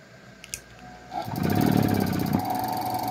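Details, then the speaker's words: Gate motor rated 220 V run on 127 V mains, with the capacitor doubled (two capacitors): it starts after a second and settles to a steady hum, not full strength but starting better than before. "o motor já partiu lá viu ele não tá totalmente potente mas não tem muito pouca força viu que ele já melhorou a partida lá de novo"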